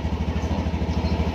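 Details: Honda Beat Fi scooter that would not start for three weeks, now running after a faulty accessories relay feeding the fuses was found: an even, steady putter with no misses or knocks. Normal idle.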